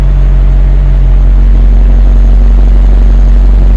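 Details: BMW 740Li V8 idling cold, 1–2 minutes after start. It gives a deep, steady, even rumble with no shudder. Coolant, oil and spark plugs were serviced. Before repair it shook heavily when cold. Normal cold idle after repair.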